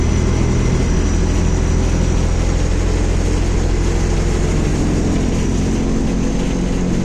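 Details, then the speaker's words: 2021 MAZ-216 city bus, recorded inside the cabin while riding: a loud, constant deep drone and rumble, far noisier than a 1986 LiAZ-5256 bus. Source unclear. "Écoutez le bruit de ce bus. Honte! Le bus fait du bruit, rugit, fait du bruit, pète."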